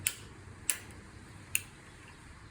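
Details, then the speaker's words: Sturmey-Archer FG 4-speed hub gear with Dynohub: shifting between the upper gears gives light, crisp, smooth clicks with no harsh clunk, unlike the fierce, strongly sprung shift out of first into second. "compared to the other gears that's a nice smooth click"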